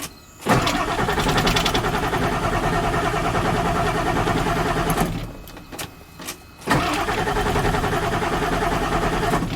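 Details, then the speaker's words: 1995 Ford F-series 7.3L Powerstroke diesel, no-start after sitting two months, cranked after clearing codes: steady starter cranking several seconds with a brief pause, engine never catches; crank no start. "still have a crank no start condition okay that's good to know"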